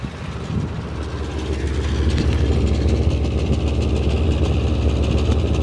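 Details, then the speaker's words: 1980 Dodge W200 3/4-ton pickup, 318 V8, four-speed manual, abandoned for 22 years, idling cold before the thermostat opens, after cleaning the plugs and sanding the rotor: a deep, even burble of about 3.5 pulses a second with no misses. Firing on all eight. "she sounds like she's firing on all eight honestly it doesn't sound like it's missing"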